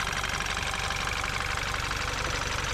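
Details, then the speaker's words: BMW X1 after a valve cover gasket replacement for a burning smell, started with the battery reconnected: a steady, even idle with no misses, knocks or ticks. Leaked oil is burning off the exhaust manifold, and there are no leaks; a normal idle. "So, let's go in the vehicle and start the engine. So, as you can hear, the engine is running."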